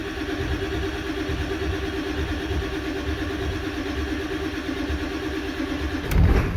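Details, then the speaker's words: 1994 Ford 7.3 Powerstroke pickup, sat 4–5 years, earlier had a bad mechanical fuel pump: about six seconds of cranking before it fires, a long crank while injection control pressure slowly builds. "All right, so you notice how long that took to build up while it was cranking."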